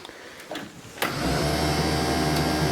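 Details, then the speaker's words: Argo Bigfoot 6x6, being revived and on jumper cables: key on gives a click, then a steady electric whir with no cranking. Starter not engaging; corroded starter brushes or the solenoid are suspected, not confirmed. "we're going to see if the starter engages. The brushes in the starter might be corroded or whatever, so If it just clicks, I have to try to jump the solenoid."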